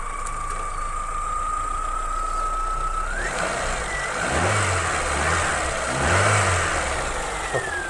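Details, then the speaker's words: 2004 Renault Twingo Kiss Cool with D7F engine, donor car, block clean, AC compressor removed: short cranking whine, then catches and settles into a steady run with a couple of clean blips; runs like clockwork. "Alors je sais pas si vous l'entendez bien tourner sur la vidéo, mais en tout cas elle tourne comme une horloge."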